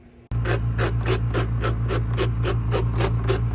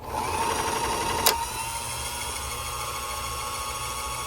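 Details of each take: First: Bernette B65 sewing machine, before repair: steady motor hum with a dry rasping scrape about three times a second when the bobbin winder engages; dry bobbin winder clutch needing cleaning and lubrication. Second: Bernette B65 sewing machine bobbin winder after cleaning dried grease from clutch and lubricating, cover refitted: smooth steady high whir then a click as it cuts out; previous loud noise gone, no grinding.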